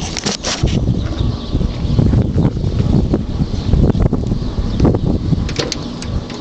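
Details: 1968 Camaro Z28 clone, 350 stroked and bored .040 over (~385), Brodix heads, Comp 284 cam, 750 Speed Demon carb, 10:1 compression, 454 hp; deep, uneven idle with irregular low thumps and loping beat: rough idle.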